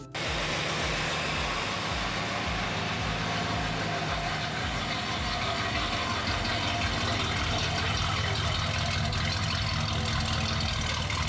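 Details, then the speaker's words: 1964 Mercury Montclair, Ford FE 390 with cam and intake kit, first run in 40 years while setting timing: steady even V8 idle, slightly high and needing to idle down, deep unbroken rumble, no misses or knocks. "Needs to idle down. But it seems like it's running pretty smooth. Yeah, run good."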